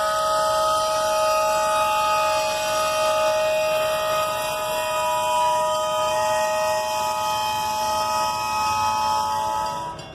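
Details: Grain train derailment recovery, Abilene, Kansas, October 2019: rail car dragged with brakes locked up, producing a piercing steady high-pitched squeal lasting about ten seconds.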